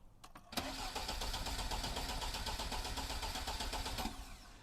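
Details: Lada, first start after an engine rebuild and fixing a bad starter ground connection: starter churns steadily for about three and a half seconds at roughly four beats a second, but the engine never catches; cranks but will not start.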